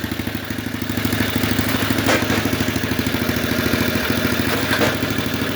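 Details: Vintage Sears Craftsman snowblower, Tecumseh single-cylinder engine, after new drive chain master link, gear lever adjustment, fuel added and spark plug cleaned: steady even putter about three firings a second, no knocks or grinding; normal running.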